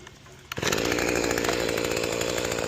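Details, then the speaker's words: Mantis tiller two-stroke after shattered-piston replacement and carburetor cleaning, idle set lower: catches at once and settles into a steady crisp buzz; normal start and run. "Took a minute, but I think I got the high and low speed screws adjusted just about as good as I can get them. And this thing's really moving from dirt. I'm really pleased with this."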